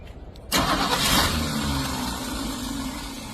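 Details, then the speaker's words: 1966 Ford that came in as a no-start, after a new carburetor and new filter lines, run briefly with no radiator fitted: engine catches at once after a brief crank and settles into a smooth, even idle without misses; normal start and idle. "New carburetor, new filter lines. Can't run it too long cuz we haven't installed the radiator yet. Very good."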